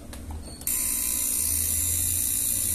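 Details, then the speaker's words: Samsung microwave keypad board powered with the door switch connected: the small relay sets up a fast, harsh, steady buzzing chatter; cause is a dried-out supply capacitor. "el ruido aquí yo siento que un relais activado y hace mucho ruido aquí hoy tocando y está este relé pequeño ruido"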